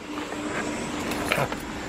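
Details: Honda exhaust at rising revs after previous failed repairs elsewhere: note wavers and stumbles unevenly with no steady beat, engine running rough; cause not yet identified.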